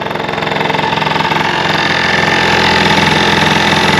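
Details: Early Honda Live Dio ZX two-stroke scooter, fan and bearing already replaced: at idle a fast, uneven tinny rattle of about four per second sits over the buzz. The owner says it is not the bearing and suspects something loose inside the muffler.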